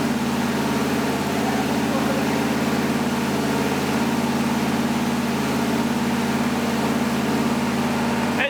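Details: 1977 Ford F150 with a new V8 motor on first start and break-in, at fast idle; a steady, even beat with no knocks or misses, which is normal running.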